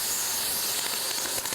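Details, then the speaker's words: Multiplaz 3500 plasma torch set for welding at 150–170 V with ground connected: steady sharp hiss with quick irregular crackling and sputtering as it calls for the arc, then the arc strikes; normal arc-start behavior. "l'entend claquer ratatouiller ça veut dire qu'il demande l'arc et là nous avons notre arc"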